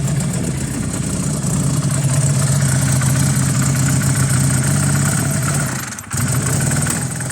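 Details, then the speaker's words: Honda CB250 bobber twin, stone cold, no choke fitted, jetting near right: lumpy idle about four beats a second with sharp pops; backfiring at idle, both cylinders firing, owner wonders if timing is off or it needs warming. "Like it's out of time. Why would it backfire so much? Both cylinders are firing."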